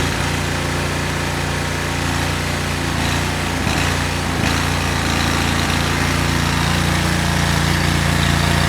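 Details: Cub Cadet 1641 lawn tractor small engine, choke on, buzzing with an uneven beat and occasional stumble; rough running traced to very old, whiskey-coloured stale fuel, later changed, after which it ran properly.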